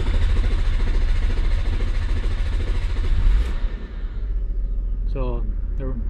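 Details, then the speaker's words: 2002 Nissan Maxima 3.5L with code P0335 and a long-crank complaint: steady starter churning for several seconds without firing. The crankshaft position sensor signal wire shows no square wave, so the computer receives no signal. "there's you know currently there's no um waveform which should be a square wave on this signal currently reading 0 point six volts which is not good it means that the computer's not receiving a a signal"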